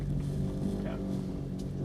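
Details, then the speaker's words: Muffled rattly, rumbly knocking from the rear of a 2008 Honda Odyssey minivan as it rolls, seeming to come from the back wheel; owner suspects a loose or old rear shock and replaces the rear shocks. "It's kind of this kind of rattly, rumbly sound, and I think it's the shock is loose or old."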